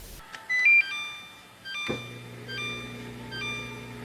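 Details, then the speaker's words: Samsung dishwasher leak alarm: repeating high electronic chimes over a low pump hum as water in the drain pan, collected from a dripping supply line, triggers the warning and activates the emergency drain; shut off water and investigate. "so that drain pan on the dishwasher it actually um it actually goes behind the dishwasher to collect any water that drips off of the water supply line to trigger the uh the warning time and activate emergency drain"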